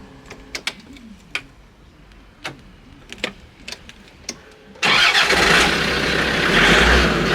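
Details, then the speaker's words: Land Rover Discovery 2000 after in-tank fuel pump and fuel filter replacement, fuel system primed: a few scattered clicks, then the engine catches and settles into a steady, even run with no misses; normal start and idle. "[Music] off running that's um solved it we should see I get a blast that's how it goes but I think that's all right getting nicely"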